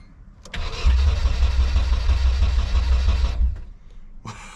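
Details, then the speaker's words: S13 240SX after engine swap and new jumper harness, fuel pump audible: brisk, even cranking for about three seconds without catching; cranks but won't start, owner suspects compression, unconfirmed. "we know we're getting fuel we can hear the pump we know we got air I mean it's kind of hard not to have air just the only thing we haven't checked is you know maybe if it doesn't have compression"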